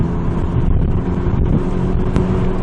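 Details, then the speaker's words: APR Stage 2 VW GTI with APR downpipe after the factory front muffler/resonator was replaced by a Vibrant 17950 resonator, heard in-cabin at 2500–3500 rpm cruise: a steady low hum with window wind and no booming drone, almost stock-sounding. "lly reduced and almost sounds stock all over again."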